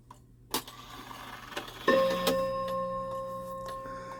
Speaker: Okay, that's not right. So it thinks it's 3 o'clock right now.